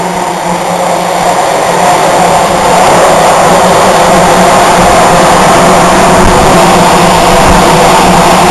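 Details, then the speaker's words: Zuber smoker circulation fan running inside the cabinet with the airflow control parts removed: loud constant rushing roar with a steady low hum, no knocks or rubbing; the fan is running normally. "We'll turn it on. Remember, it's going to be loud because we're inside with the fan blowing."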